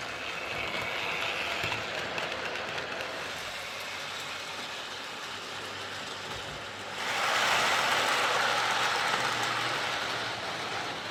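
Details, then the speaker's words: Hornby R041 GWR Class 57xx Pannier tank model loco after a new rear motor bearing, pulling wagons round the track; light even motor hum with rail clicks about three per second, no grinding or rattle: normal running. "think that sounds better so it's definitely running an awful lot quieter with that new rear bearing"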